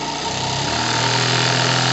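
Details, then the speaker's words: Single-acting twin-cylinder high-speed live-steam engine at 3–4 bar, being re-accelerated: steady, smooth beat climbing cleanly in pitch with no stumble or labouring and no torque problem. Normal running. "Je pense que j'ai pas de problème de couple à ce moment-là. Ah non, j'ai aucun problème de couple. Donc, cette machine magnifique, écoutez sa vitesse, parce que ne regardez pas le mouvement, il est faux, mais écoutez la vitesse."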